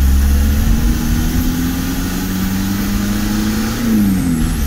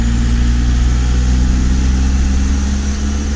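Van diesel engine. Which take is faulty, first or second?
first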